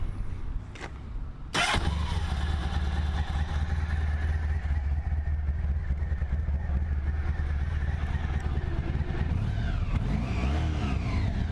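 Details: Honda ST1100 motorcycle, already warmed up after sitting a little: brief starter whirr, then it catches at once and settles to a smooth, even idle. Normal, solid warm start.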